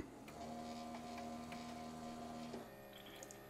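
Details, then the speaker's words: Keurig B70 K-Cup coffee maker after clearing a clog from a slow brew: steady low pump hum with even tone for about two seconds, then easing off; brewer pumping and dispensing water normally again. "oh yeah that's coming out I think this through um anyway that's coming out good"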